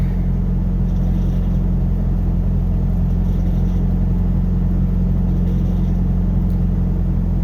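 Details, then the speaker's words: Pickup truck after a cold start about five hours later, following reconnection of the MAP sensor to the correct port: deep, steady rumble with an even beat; high idle seems to have settled out all right, no warning light. "okay it's settled out all right i guess"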